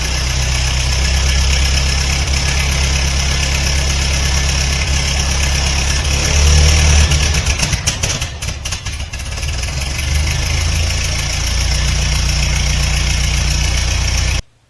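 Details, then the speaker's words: 1950 Ford 8N tractor, first start in over 10 years after Marvel Mystery Oil soak, smoky: steady, deep, even idle at about four beats a second with no misses or knocks; runs cleanly, though the oil filter canister leaks. "okay it runs so our oil filter canister sprung a leak"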